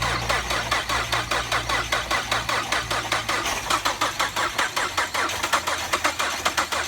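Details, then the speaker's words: 2006 Ford Fusion auction car, no key, won't start; starter bypassed with a wire on the starter bolt: steady rhythmic cranking about two and a half beats per second, even starter pulses, no catch. Engine cranking. "This one, I put a wire on the bolt, as you can see right there. And let's see, you can hear the motor."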